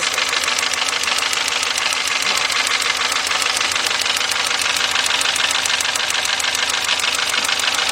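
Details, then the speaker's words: Volkswagen at rough idle: sharp snapping ticks about three per second; spark arcs out of the ignition coil only when cylinder 1's wire is pulled, misfiring cylinder. "all right guys down there is our ignition coil and seemed like the spark was coming the weird part the spark was it it was only doing that when I pulled the number one off"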